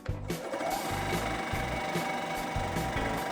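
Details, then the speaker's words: Kaeser 3T dental air compressor after its original start/run capacitor was replaced with a same-size capacitor. The motor picks up and the pump chugs evenly at about 2.5 strokes per second with no hum or stalling, reaching full pressure. Repaired, running normally. "full pressure is obtained and all working well"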